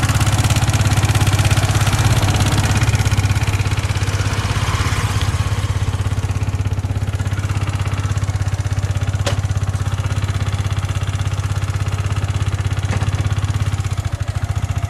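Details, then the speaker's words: Yamaha MT15 at idle: harsh clatter riding the firing beat, about three per second, present for two months and getting louder; abnormal mechanical engine noise, cause not yet found, showroom visit planned. "Hello మామ welcome to the channel గోంది మన బండికి ఏదో ఇంజన్ల నుంచి noise వస్తుందని ఇప్పటికి two months ఏమో అయింది normal గా అది సౌండ్ రాన్ రాన్ ఎక్కువ అయతుంది"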